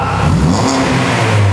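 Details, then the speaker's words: Classic Mini small four-cylinder after new exhaust with no resonator and a smaller back box: short throttle blips, clean deep note rising and falling smoothly with pops, no rattles or blowing; sounds healthy. "It actually just popped. That sounds amazing."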